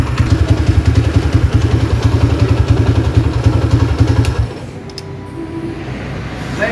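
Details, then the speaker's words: Honda GL100 motorcycle after engine build: even idle with a repeating dull clunk on each beat; attributed to the clutch housing gear, backlash clunk. "cuman ada suara gleknya di sini ya ini disebabkan karena Gigi OS koplingnya"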